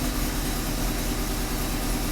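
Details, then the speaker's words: 1994 Alfa Romeo 33 Imola, 1.4 L fuel-injected petrol, 90 hp, 112,000 km, long parked, cold start: uneven, lumpy idle stuck high, with a dull thumping beat that keeps stumbling; misfire from failing spark plug leads and ignition coil. "so here we go can you hear it already the engine is kind of rough it's it's stain a long time"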